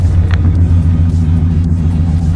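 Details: Dodge car inspected at a Copart auction, check engine light on and owner suspects a slight misfire: deep, steady exhaust rumble with even beat, no rattles, ticks or leaks; exhaust sounds healthy.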